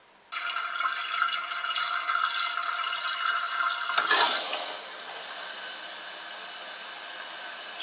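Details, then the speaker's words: Toilet tank: steady hiss of water refilling with a faint rush into the bowl; a leaking flush-valve flapper gasket lets tank water leak into the bowl and the fill valve keeps cycling; fix is replacing the flapper. "Hard water, well water, and chlorine can affect the shape of the gasket and over time allow water in the tank to slowly leak into the bowl, and this causes the fill valve to turn on to refill the"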